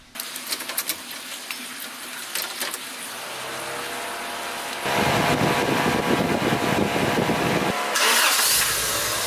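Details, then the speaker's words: Honda Civic EG project with swapped engine, test run after reassembly checking for strange noises: clicks of handling, then engine catches and settles into a smooth, even, fuller idle with no ticks or knocks; runs normally. "Oh ya jangan didengar oleh teman-teman suaranya jadi halus dan ya jadi lebih padat ini suaranya nih"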